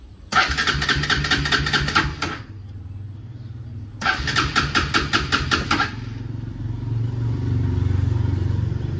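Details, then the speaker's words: Bajaj Pulsar RS200 motorcycle in neutral, ignition light on but usual sound at kill switch missing, fuel present: starter churns in two bursts of about two seconds but engine never fires; crank no start, owner suspects weak battery. "ও চাবি on গাড়িটি নিউট্রালেই আছে এর আগে তো কি হতো কিল কিল switch দিলে পারে একটা সাউন্ড হতো এখন সাউন্ডটা দিচ্ছে না নো সাউন্ড বাট ইগনিশনের ইগনিশনের লাইটটা দেখাচ্ছে দেখতেই পাচ্ছ স্টার্ট করছি স্টার্ট হবে না"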